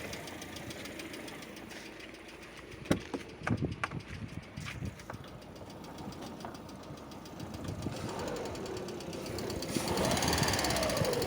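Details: Lada Vesta at idle: light, quick ticking over a quiet idle, sharpest early then fading into the engine hum; hydraulic lifter tick that occurs during warm-up in warm and cold weather and sometimes disappears once fully warm.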